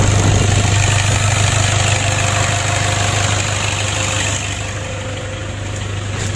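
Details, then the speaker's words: Toyota Innova diesel, previously hard to start, knocking and weak, with a leaking turbo, after repair: restarts easily, even cold, and settles into a steady even idle with a regular low thrum, no misfire or knock. "kita matikan kita coba lagi ya alhamdulillah untuk hidupnya sudah mudah teman-teman ya tadi juga di saat mesin dingin kita starter tidak sulit mudah"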